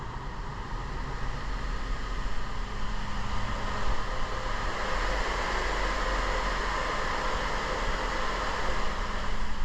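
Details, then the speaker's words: 2008 Honda CR-V 2.4L, cold engine, heard from the cabin with A/C switched on: a steady low fan roar with no clutch click or compressor hum. The fans respond but the compressor won't engage, likely low refrigerant charge or a faulty compressor clutch. "so hopefully you're able to pick that up but it sounds like the fans are running and the vehicles otherwise do I have a temp gauge yeah way down here the vehicle is cold so the fans shouldn't be running normally"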